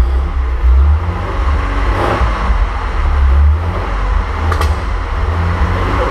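Smooth, deep, even rumble from the six with no ticking or knocking over light outdoor noise; it's running healthy.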